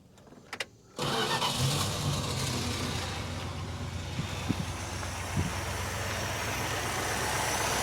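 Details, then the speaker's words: Barracuda with solid lifters, started just after the valve lash was readjusted to cure a tick, catches at once after a brief crank and settles into an even idle with no top-end tick; normal start and idle. "Beautiful. Look at that. Running like a Swiss watch."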